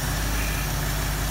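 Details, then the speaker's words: 1973 Mustang 302 with a 2V 2100 carb, throttle solenoid pin re-engaged after the curb idle was set: smooth, even low rumble back at 750–760 rpm with no misses or knocks. Normal idle, set correctly. "back up to 750 760 rpm again so it's set correctly"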